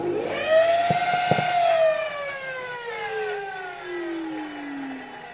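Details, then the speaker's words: Samsung SC6650 1800 W vacuum cleaner clogged with construction dust: loud whine with sharp crackling pops from an arcing motor, pitch sliding down as it winds down; motor needs replacement. "пыль и так же по звуку можно было определить то что искрит мотор в общем если у вас будет и любой как-то шумит пылесос то нужно заменить мотор на новый мотор"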